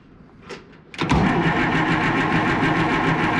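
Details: Oliver 1800 tractor diesel, unused over a year, cold, on clamped battery cables, shut-off solenoid clicking: starter drones at about three and a half chugs a second but never catches; crank no-start, cause suspected, not confirmed.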